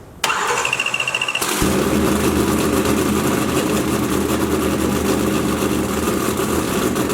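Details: 572ci 481X race engine after the MSD was plugged back in: the starter cranks briefly, then it catches and settles into a loud, steady, even idle with no misfire or knock. It starts healthy.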